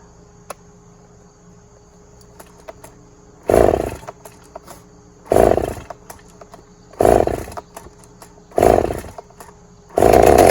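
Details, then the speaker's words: Stihl MS290 chainsaw, customer complaint of clutch-area noise, running with bar and chain fitted: repeated sharp revs with rough rattling chatter; wrong bar and chain fitted, clutch sprocket worn and needs replacing. "Yep, there's a noise there. All right, so we'll let him know that the wrong bar and chain is on this and that the sprocket needs to be bought for it also."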